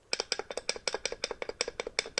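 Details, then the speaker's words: 2005 Ford Mondeo Mk3: removed fluid-filled hydraulic engine mount shaken by hand gives sharp, hollow clacks in quick pairs after losing its fluid; caused rattle felt behind dashboard from about 2000 rpm, worsening over 6 months; replacement cured it. "it turns out that it was the engine mount these are fluid filled engine mounts and it had lost its fluid so I got a new one and installed it and the rattle is now gone"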